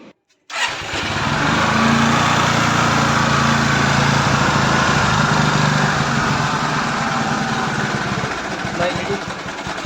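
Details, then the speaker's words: 2014 Suzuki Access 125 scooter after piston and head rebuild for white smoke, reassembled with timing set: starts at once, fast even idle with no misses or knocks, no white smoke; normal idle after repair. "ಈಗ engine ಎಲ್ಲ ಫಿಟ್ಟಾಗಿ ರೆಡಿಯಾಗಿದೆ. ಈಗ on ಮಾಡಿ ತೋರಿಸ್ತೀನಿ ನೋಡಿ. White smoke ಬರ್ತಾ ಇಲ್ಲ, ಗಾಡಿನೂ condition ಆಗಿದೆ."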